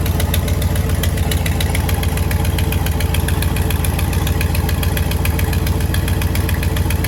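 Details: 1955 Buick Roadmaster with a 322ci Fireball V8 and Carter carburetor, first runs after revival: a fast tick of three or four a second over the idle, clearing as rpm rises; could be an exhaust leak or a valve train issue, unconfirmed.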